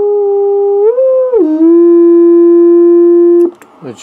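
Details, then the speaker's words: Heathkit VF-1 VFO converted to solid state (transistorized): a clear, pure keyed tone that glides briefly while tuned, then holds rock-steady with no hum; clean, stable oscillator. "Okay, I'm going to set up and key the thing so you can hear the pure tone. Alright, here's the tone of the transistorized model."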